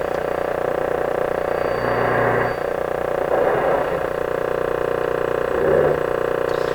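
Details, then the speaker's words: Westinghouse 981X shortwave receiver on a dim-bulb tester during output transformer replacement, raised to full voltage and tuning near 640: steady low hum with rushing swells every second or two; source unidentified. "so that that sound there um i'm not sure what that is i'm looking for a station 640."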